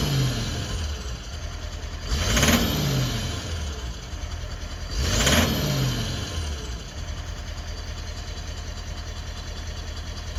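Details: Toyota Land Cruiser 200 with 1VD-FTV diesel: two quick revs from idle with a hard rattling knock, clearest as revs rise. Disabling injector no. 7 (correction -2 and 1) removes the knock, so injector 7 is at fault.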